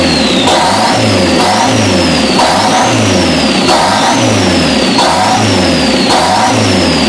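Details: Newly built custom engine in a 1987 Dodge Daytona Shelby Z at its first start, revving up and down with a high whistle rising and falling with the revs, caused by a massive vacuum leak from two unplugged holes in the intake plenum.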